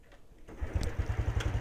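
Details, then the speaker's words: Honda Wave 110i (110cc) after replacing the faulty spark plug cap, previously hard to start and stalling on acceleration: brief crank, starts first try, even idle, revs without hesitation; normal start. "ครั้งเดียวติดเลยเร่งไม่มีสะดุจเครื่องยนต์กลับมาเป็นปรกติ"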